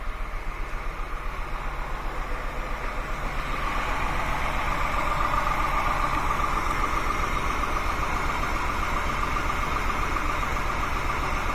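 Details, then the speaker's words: 2001 Honda Accord 3.0 VTEC V6 with misfire codes P1399/P0301, at idle: regular puffing lope about two beats a second from each exhaust pipe, smelling of unburned gas; cylinder one coil suspected as the culprit. "another symptom is this kind of puff-puff-puff-puff coming out of each exhaust pipe smells a little bit like unburned gas too"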